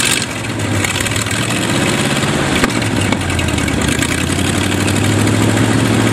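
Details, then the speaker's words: Used Chevy 350 small-block V8 on an engine stand, first run after purchase: catches and runs lumpy, surging with no steady beat; carburetor full of dirt, idle circuit tubes likely plugged, thorough cleaning needed. "got the top of the carburetor off some of the parts out and there's definitely dirt down in there so we're going have to give a thorough cleaning"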